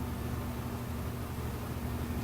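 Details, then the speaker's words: Steady low electrical hum with no knocks or grinding from a new high-efficiency Amana washing machine; normal motor hum, no service needed. "your new high efficiency Amana washing machine is going to make new sounds that are different from your previous washer Don't Be Afraid these sounds are normal the humming you hear"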